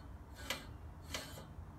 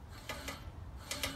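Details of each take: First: Scott Bonnar Model 45 mower, freshly sharpened reel and bed knife, both sides set and nylocks tightened: hand-spun reel gives a light crisp rasp about every 0.7 s, spinning freely and just nicking the bed knife; correctly set. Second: Scott Bonnar Model 45 mower, freshly sharpened reel and bed knife, both sides set and nylocks tightened: hand-spun reel gives a few light crisp ticks just nicking the bed knife; one side sounds too tight, the other too loose, needing fine-tuning.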